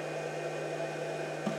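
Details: Pyle PINV44/PINV66 12 V to 120 V power inverter on a 12.9 V battery, 59 Hz output, powering a 100 W bulb: steady, even, quite loud cooling fan rush with a constant hum, no rattles or surging; runs normally.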